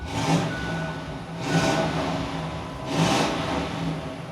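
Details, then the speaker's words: 1998 Ford Explorer Limited V8, 4-speed automatic, with new exhaust: three smooth throttle blips with deep even burble settling back between; healthy V8 breathing through the exhaust. "O V8, my friends, tá borbulhante, recebeu um escape"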